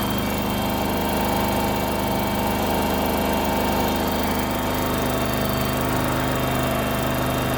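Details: Kohler engine on a Terramite T5 mini loader, after fuel pump replacement for not staying running: steady even beat with slight buzzy edge, no stumbles or surging; runs clean.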